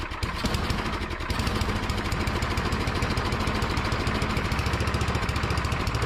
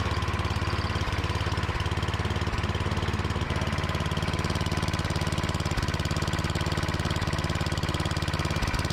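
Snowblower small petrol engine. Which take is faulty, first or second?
first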